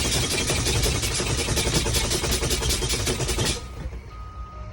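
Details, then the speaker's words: Class B truck pre-trip brake test, service brakes fanned down to about 60 psi air pressure: loud rapid pulsing buzz, two to three pulses a second, over air noise; low-air warning lights and buzzer working properly. "Now you got your red lights and buzzers. You hear them, you see them. All right, they're indicated, they properly work."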